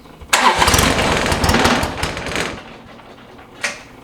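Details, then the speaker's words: John Deere 1025R tractor during a seasonal service after new oil and fuel filters, key left on first to let the fuel pump purge: quick crank catches right away, revs briefly, then settles to a quiet, steady idle with no stumble; healthy start. "always let it turn the key on and just let it go for a little while let that fuel pump Purge everything out and then fire it up"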